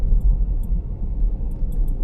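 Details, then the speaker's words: 2018 Vauxhall Corsa reversing after replacing a worn shock absorber top mount and setting tyres to 32 psi. Low, even rumble with no knocks; the earlier front suspension knock is gone. "I can hear that the knocking noise that it did have has disappeared."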